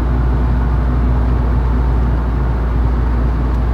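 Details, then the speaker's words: Heavy, steady low rumble while cruising in a 300ZX with a misfire; owner suspects universal joint or driveshaft, and the problem comes and goes. Cause unconfirmed, shop check planned. "man this rumbling is really really bad might be stopping it shop see if they got time to look at it"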